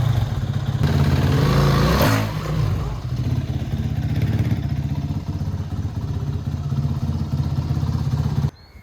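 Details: 2007 Kawasaki KX450F first start after rebuild: single-cylinder thump with a quick rev blip, then settles into a steady, even idle with no clatter; healthy, normal running.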